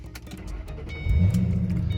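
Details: 2006 Ford Mustang, 106,000 miles, auction car listed as no-start, new alternator: a brief crank, then it catches at once into a steady, deep idle with no stumble. It starts normally and runs fine; a possible exhaust leak is suspected.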